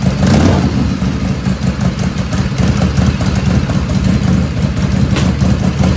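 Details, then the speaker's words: 1985 Harley FXRS Evo cold idle without choke, not at operating temperature: lumpy, uneven V-twin idle with soft chuffing exhaust pops and black smoke; carbs running too rich. "it's not hot the ends is not hot right now but I know I know it's too rich it's it's chuffing"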